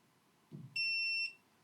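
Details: Creality Falcon A1 10W enclosed laser engraver, lid lifted to scan the material QR code: a short rustle, then a steady high-pitched buzz of about half a second as the lid-open safety warning sounds.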